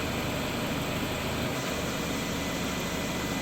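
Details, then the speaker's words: 2013 Dodge Dart idling, shifted between drive and reverse, after replacing a cheap engine mount that failed within nine months with cracking and separation: a steady, low engine hum with no clunks or vibration; the earlier noise is gone. "okay so we got it cranked up here and it appears that that noise has went away"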